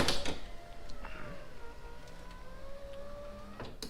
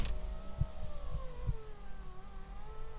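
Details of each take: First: Turbo Honda Accord driver's power window after repair (previously went up only with door closed): clunk, then even motor whine for about 2.5 seconds ending in a thump as glass seats; goes down and up quickly, normal operation. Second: Turbo Honda Accord power window: strained motor whir wavering and sagging in pitch as glass crawls upward, won't go up properly; owner suspects voltage drop or need for lubrication, unconfirmed.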